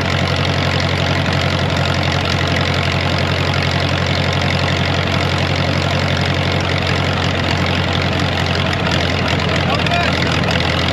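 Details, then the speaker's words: Ditch Witch R40 with Wisconsin V4 after the Hot Spark electronic ignition conversion: a steady small-engine idle with an even low thrum, pitch fairly level as the distributor is nudged back and forth by ear without a timing light. It sounds good. "well no timing light for now I know I'll get ripped on but well I'd say it sounds pretty good you can hear me moving it back and forth"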